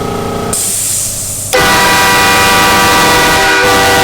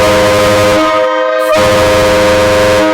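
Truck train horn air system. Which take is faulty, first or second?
second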